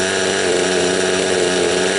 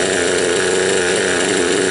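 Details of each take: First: Raptor 30 gasser two-stroke engine during break-in, low-speed needle one turn out, very high idle: steady buzzing idle, now smoother after adjustment, though still rich, spitting oil from exhaust and four-stroking. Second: Raptor 30 RC helicopter two-stroke engine during break-in at high idle trim, low needle one turn out: uneven burbling four-stroking from flooding with an overly rich oil mix, smoothing out as the carburetor is leaned.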